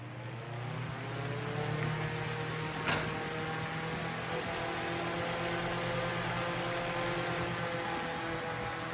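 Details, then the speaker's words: Vintage 10-inch Eskimo oscillating fan, probably 1940s, before rewiring and tune-up: fan spins up to a steady hum with a light, uneven rattle; something loose in the oscillation mechanism, owner tightens it. "I think something is loose here. That's not good. Well, I'm gonna have to tighten this a little bit more."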